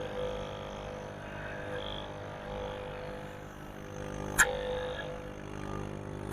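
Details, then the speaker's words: Replacement 4-ton 3-phase scroll compressor in cabinet AC, test run after swapping two phase wires to correct rotation, pressure checked: steady even motor hum, constant tone, couple of clicks; running correctly, not to be run long empty. "ठीक है, कंप्रेसर के चक्कर ओके हैं। अब इसको बंद कर देते हैं।"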